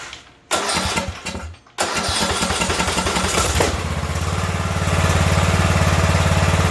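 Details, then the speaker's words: Ariens riding mower with 20 hp Briggs and Stratton Intek that surged and died, after clearing a stopped-up fuel line, cranks briefly, catches and settles into a steady, even beat around three and a half per second; running clean. "well run we know we fixed the problem but we found that that line was stocked up so we know that it is fixed now"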